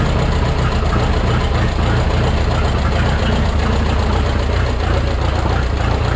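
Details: Rebuilt Minneapolis Moline 335 tractor engine at idle: heavy, low, irregular pulses of about three to four per second. Owner says it isn't running right and may need a timing tweak; lumpy firing suggests retarded ignition timing.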